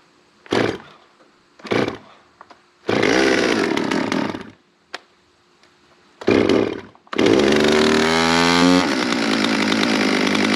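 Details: Stihl MS200 chainsaw that stalled after warming up the day before, restarted: a few pulls, catches, revs crisply and drops to a steady idle without bogging or stalling; running normally today.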